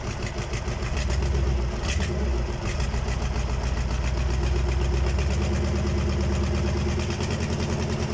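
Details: KamAZ diesel engine on its first start after a major overhaul: a deep, steady idle with a settled low rumble and no knocking or misfire. Normal idle.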